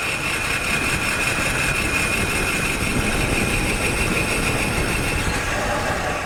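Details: Car before brake repair, microphone mounted, while braking: harsh metallic scraping hiss with a thin high squeal over road rumble. Pads probably worn down to the metal.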